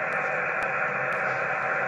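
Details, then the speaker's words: HF radio receiver at home with antenna on the back of the garage: constant loud hiss, S6 to S8 noise, no stations across the 15, 12 and other bands; local interference noise drowns the band. "all noise no signals all noise"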